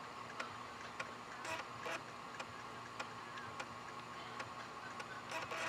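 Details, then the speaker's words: IBM ThinkPad 760LD booting from a floppy drive swapped in for the CD-ROM, setting up a RAM drive from a modified boot disk: soft regular ticks with short buzzy seek bursts about every second; floppy reading normally. "never took a few minutes it was always relatively quick but the drive seems to be doing the trick there"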